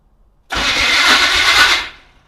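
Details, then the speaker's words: 1980 Chevrolet C10 Cheyenne square-body, first crank, borrowed battery plus charger: spins fast but short harsh starter-to-flywheel grind; owner plans to adjust or shim the starter. "sounds well it spins and it spins fairly good and fast but you know it's got that typical chevro L starter flywheel grind that I really hate so I'll probably have to adjust that uh starter or shim it up"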